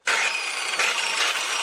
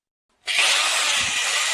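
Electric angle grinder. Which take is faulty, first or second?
first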